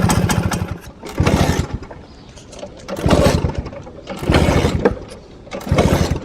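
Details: 1963 Vespa VBB warm: five short bursts of popping, each dying within a second, engine won't catch; rattles at idle and won't start after warming up.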